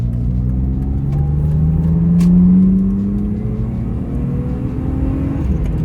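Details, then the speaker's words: 1995 BMW 325i E36, low mileage, warming up: engine note climbs smoothly under load during acceleration pull with quick engagement, no misses, knocks or rattles; healthy, though a front right wheel bearing is suspected worn. "revs nicely nice town really quick engagement"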